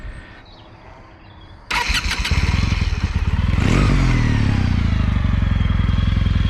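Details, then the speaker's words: Kawasaki W800 with full Remus aftermarket exhaust, baffles in: starter catches, twin settles into even loping idle with faint high whine from the bevel drive; normal start and idle. "They sound really pretty good. This has the baffles in, surprisingly, but still sounds great, actually."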